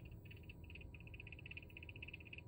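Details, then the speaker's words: Cooler Master RGB PC case fan, bought almost a year ago, rattles intermittently. Rapid, even ticking at about ten per second over a soft hum. Owner wonders whether it is dust or the bearing failing. Fan rattle. "it's rattling is it dust in the bearing is the bearing going out"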